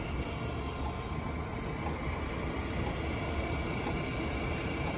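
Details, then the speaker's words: New 3-phase 480VAC motor on rebuilt reduction gearbox, bench test run: quiet, even hum and whir with no knocks, grinding or surges; motor and gearbox both turning smoothly and normally. "And there it is. The motor's turning. The gearbox is turning. And what the gearbox does is it reduces the speed of the motor."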